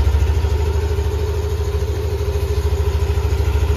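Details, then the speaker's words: All-stock Yamaha Aerox scooter idling on new ZIC M9 4AT 10W-40 fully synthetic oil: steady, even putter of about three pulses a second with no roughness or knocking; idle stays smooth, not rougher than earlier oils. "Yan, smooth naman yung under nya, hindi naman gumaspang katulad yung mga nilalagay nating langis o nilalagay yung langis dito. Smooth pa rin yung andar."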